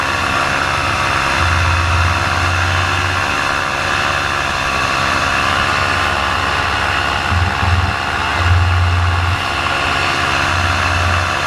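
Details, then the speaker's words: Paramotor two-stroke losing power in flight while the pilot steadily loses altitude heading back to land: drone with surges and dips amid wind noise. The motor later died completely over buildings; the cause is undiagnosed. "And as I was crossing over the buildings, my motor completely died."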